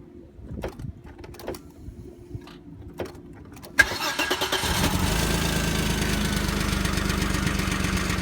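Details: Audi V6 AAH engine, 1994, about 190,000 km, just after cold start: cranks and catches, then a rough, fast ticking rattle from low in the block; cause unclear.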